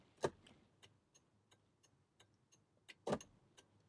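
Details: 2005 VW Passat whose turn signals suddenly stopped working, tested after reconnecting both separated circuits: light, even flasher relay ticks at about three per second over a quiet background, cycling normally; an intermittent short blowing the fuse is suspected.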